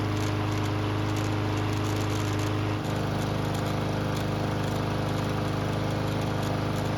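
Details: Barn-stored, neglected lawnmower on non-ethanol 89 octane fuel with stabilizer, running several minutes and hot: small single-cylinder engine runs smooth and steady with an even low hum, slight pitch change partway; healthy after repair.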